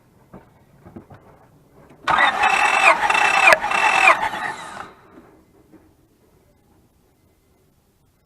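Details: 2004 Honda Pilot with misfire, code 1399, during compression test: about three steady even cranks with no dragging, readings around 195 to 210, consistent with good compression.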